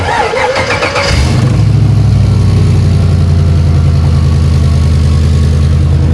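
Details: 5.3 LS V8 swapped into a Land Rover Defender 110: brief starter cranking, then it catches and settles into a deep, steady, even idle with no knocks or misses; starts and runs fine.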